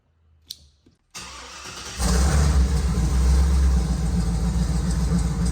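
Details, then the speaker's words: Dad's Jeep V8, just back from the tuner: short crank, then it catches cleanly and settles into a steady, even idle with no misses; normal start and idle, though camshaft actuator and misfire codes remain stored. "Sounds great. That thing runs awesome."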